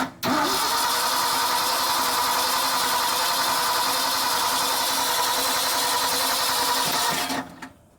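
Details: 1976 Ford F-600 dump truck with new Holley carburetor, new starter solenoid, wiring and mechanical fuel pump: starter spins steadily about three and a half turns a second for seven seconds, never catches; fuel probably not yet reached carburetor; ignition switch suspected bad.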